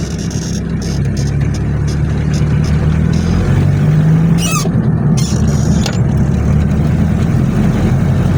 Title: 1995 hilux ln106 3L beautiful diesel clattering sounds during acceleration